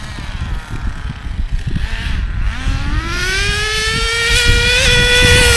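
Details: ACME Condor Pro A300 1T 1/10 nitro RC buggy, circa 2002–2005, not run for almost 20 years, engine preheated, throttle trim high; engine buzz rises to a high steady scream, clean and even; started quickly, normal running.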